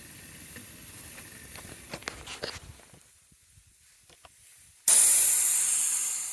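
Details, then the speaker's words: Cheap £500 car, cooling system pressure-tested at 1.3 bar: sharp high hiss bursts out and fades as pressure drops, coolant spraying from a pinhole leak in a fairly new radiator. "and you could probably hear the hissing and if you look down here it's like the radio with a pinhole in it"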